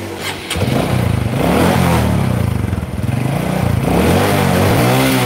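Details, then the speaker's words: Honda Karisma motorcycle with no power, just started and still cold: engine stumbles and surges when revved and dies if throttle is opened fast, needing gentle throttle and warm-up. Cause not yet found. "Oke teman-teman ini baru kita hidupkan udah saya coba blayer motor tetap gak bisa stabil Jadi blebet-blebet blebet kalau di gas agak kenceng mati harus pelan baru bisa naik"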